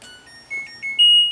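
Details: LG washing machine power-on: short rising tune of clean beeps ending on a held high note; the washer's normal power-on chime.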